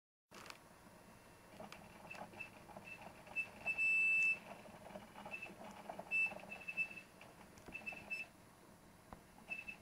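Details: Two-year-old Western Digital WD1002FAEX 1TB desktop hard drive gives short, high harmonic squeaks and chirps after running most of the day, on two different computers; the faint crunching rattle is vibration from the cradle.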